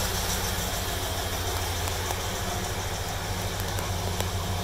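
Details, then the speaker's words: 1965 Chevrolet Caprice 396 V8, about 98,000 miles, with power brakes, power steering and factory AC, idles with a steady, deep, quiet rumble with no knocks or misses; normal idle. "396 v8 as I mentioned power brakes power steering factory AC and as you can hear it idles extremely nice nice and quiet"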